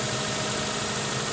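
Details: 2009 or 2010 Subaru Impreza 2.5-liter boxer, oil-starved, now with fresh oil and full dipstick: a rough, shaky idle with quick, loose metallic knocking. Rod knock on multiple rods from lack of oil; the engine needs removal and rebuild.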